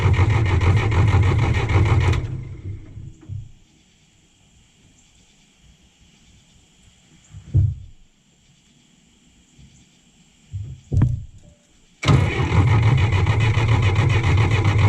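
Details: John Deere 1010 crawler diesel, sat 12 years, just started after bleeding fuel to the injectors and cracking injector lines: low steady clatter, quiet several seconds, then picks back up and holds an even run; normal diesel running.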